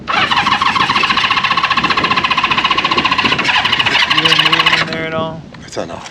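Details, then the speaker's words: 1974 Honda CB550 four on first start during restoration, gas fed straight into the cylinders bypassing the carb bowls, tank off: catches and fires raggedly about five seconds, then dies; running on primed fuel or leftover starting fluid, not its own supply. "it might still be though yeah that could be the leftover starting fluid yeah that's something"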